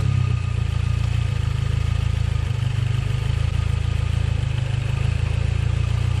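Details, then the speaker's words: 2009 Mazdaspeed 3 with Ford Focus ST/RS MSD coils and rewired connectors: steady, even low idle with a constant beat and no misses or stumbles; running smooth. "all right sadly smooth exactly what i wanted is exactly what i needed"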